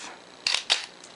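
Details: Minolta X-700 35mm SLR with 50mm f/1.7 lens, shutter manually set to 1/4 s: two crisp clicks about a quarter second apart, opening then closing cleanly. The slow shutter speed works properly.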